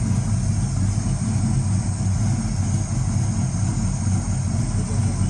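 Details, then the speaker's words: Box Chevy V8 idling after a tune-up, started on one crank but not fully dialed in; low, smooth, even burble with no misses or ticking; some smoke from one exhaust, owner thinks it's just burning oil off a cylinder; normal idle. "Sound good, huh? Hell yeah. It still got a little smoke coming out that one exhaust, but I think it's just burning oil out that cylinder or something."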